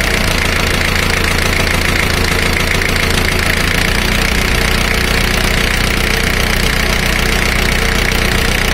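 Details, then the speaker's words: Four-cylinder diesel power balance test judged by ear: the fuel supply to one cylinder is cut with a spanner and the idle sags to a slower, heavier beat; the rpm drop shows that cylinder is healthy. "this is one method of doing this power balance test by listening to the amount of audio change the drop in rpm can be noticed"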